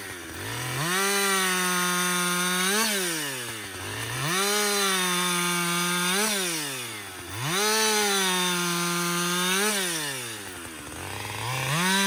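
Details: Husqvarna 562XP 60cc chainsaw after dealer software reflash for dying when hot, bucking windfall; revs cleanly to steady high pitch, dips evenly over four cuts, recovers crisply. Normal running under load.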